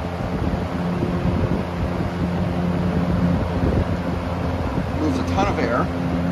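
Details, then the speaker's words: 1968 GE W-22 three-speed box fan on low then medium: loud droning hum with low resonance and uneven wobble, plus a tapping; source of the resonance unknown, fan also off balance, motor could use re-varnishing. "I don't know what's resonating no idea what's causing that sound here's the medium it's also been off balance"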